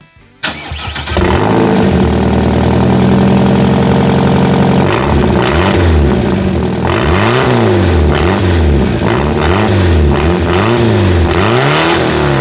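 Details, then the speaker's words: Ford Ka, 1.3 litre 60 hp, before replacing the rear silencer: starts, then a harsh, loud, tractor-like drone rising and falling with repeated revs; worn exhaust silencer. "Comme vous l'entendez, c'est pas fameux, mais bon. C'est pas fameux, c'est pour ça qu'on va le changer."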